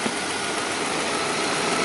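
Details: 2007 Saab 9-3 after a no-crank dead battery was replaced, warm day about 90°F, engine just restarted: even, smooth idle under a steady hiss with no ticking, knocking or stumbling; alternator charging 14.3 V, engine idling normally.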